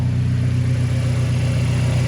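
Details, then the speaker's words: Turbo Mazda at its first start after timing chain work gives a smooth, steady, quiet idle with an even beat and no ticking or rattle. It is much quieter than before, and the owner suspects the timing chain was noisy earlier. "much quieter than before from the engine wow that is quiet okay looks like the timing chain must have been noisy before that I didn't notice because now it's so much quieter wow"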